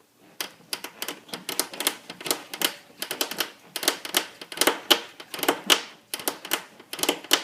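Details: 2001 Suzuki GSX-R1000 with engine off: sharp, dry clicking creaks in quick uneven bursts; owner unsure of the creaking noise's source.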